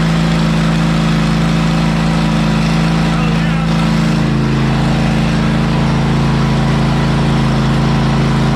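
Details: ZT200 mower with a newly fitted replacement engine, while the ignition kill is tested: a steady, even drone at constant speed with a firm low hum and no misses or knocks; running normally.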